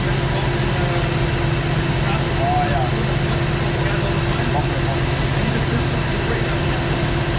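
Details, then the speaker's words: Fox Body Mustang V8, warm, after a no-parts fix: smooth, even idle with a steady low rumble and no vibration, stumbling or hunting; the owner no longer has to hold the throttle in traffic. Normal idle. "Here it is. No parts whatsoever. No vibration, nothing. Look at that."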